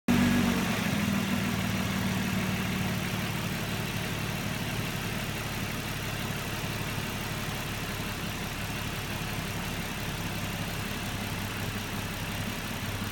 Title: Murano rough idle